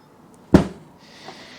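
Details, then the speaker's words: Valve guide suction test: a finger seals the port end while the valve is pulled, giving one sharp, decisive pop. The soft bronze guides show minor play, but good suction means they are not worn out. "now that should make a decisive popping sound now I have done this with the inlet ones as well and they all make a reasonable pop sound that means you're getting suction"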